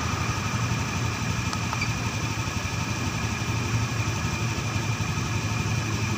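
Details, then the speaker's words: Honda Scoopy fuel-injected scooter after engine overhaul, checked with Jdiag M100 Pro scanner, engine at 47°C, battery 11.4 V, injector 3.2 ms: steady, even putter at slightly low idle speed, no knocks or misses; normal idle. "kita hidup A ni udah bergerak putaran mesinnya e masih agak kekecilan tapi udah normal si ini"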